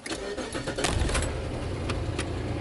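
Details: 1999 Suzuki Grand Vitara that won't set inspection monitors: brief crank, catches at once and settles into a smooth, even idle with no misses; normal start.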